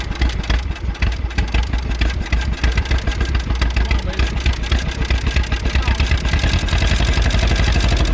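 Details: 1951 Willys CJ3A Jeep, first run in 50-some years, fed fuel poured in by hand with no proper fuel system hooked up yet: rough, uneven idle with loud low chuffing and clattery firing, but it keeps running.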